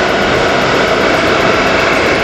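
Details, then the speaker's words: AC unit after a mechanic's service: fan motor runs at excessive overspeed, blower turned backward during service, 27 V present, connectors fine; loud steady roar with no rise or fall, speed jumps instantly. "ਇਹਦੇ ਕਰਕੇ ਇਹਦੀ over speed ਹੋਗਈ ਇਹਦੀ fan motor ਦੀ speed ਬਹੁਤ ਜਿਆਦਾ ਵਧੀ ਹੋਈ ਹ"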